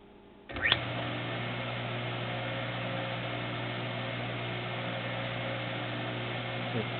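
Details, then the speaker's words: Maytag WU482 belt-drive dishwasher with the belt removed, motor run via timer: steady hum with a slight rattle from the drive motor's ball bearings, still serviceable and could be oiled. "so ball bearing motor and you can hear him rattling a little bit but can still get Motors"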